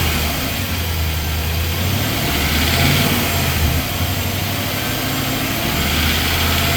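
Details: 2020 Nissan Titan SL 5.6L at cold start: loud idle with a low, uneven knock about three or four per second and a diesel-like clatter on top. Owner suspects bottom-end knock; it slowly fades after a few minutes of driving.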